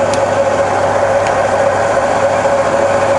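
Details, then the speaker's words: Rebuilt Bridgeport mill on 240V single phase, quill power feed running in reverse: even mid-pitched hum from feed drive, constant and smooth, no grinding or clicks; normal reverse feed. "it reverses just fine"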